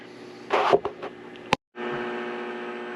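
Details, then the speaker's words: Victron IP22 Blue Smart 12V/30A charger in bulk stage charging a LiFePO4 battery at 30 A: a steady low electrical hum with faint tonal lines, about the loudest it gets. It is quieter at 15 A and silent unplugged, and this is normal. "This thing does hum when you're pulling 30 amps off of it. That's about as loud as I ever hear it go."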